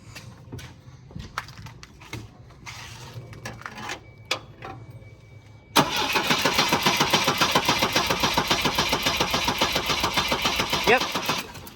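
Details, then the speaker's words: 1984 Volvo 242, B23 LH2.1 automatic, stopped running after refuelling: starter cranks steadily about three to four beats a second but never fires; possible spark arcing to ground suspected; crank no start. "seems like it's not starting that is correct all right verify that it does not run"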